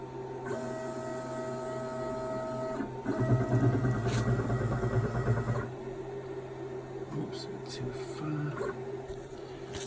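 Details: Brand-new 6040 CNC router running Mach3: Z axis stepper gives steady whining tones shifting between moves, turning rougher and buzzier mid-move; Z loses its zero, coupling tightened and stepper side checked, cause not identified.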